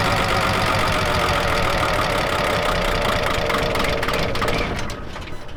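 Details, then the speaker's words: Diesel truck on fresh diesel with a pump fitted, being bled by cracking injection lines: clatters unevenly, stumbles, then dies after about five seconds. Rough running from air still in the fuel system. "Well, that was pretty easy. We're still getting air out. It's not running just yet."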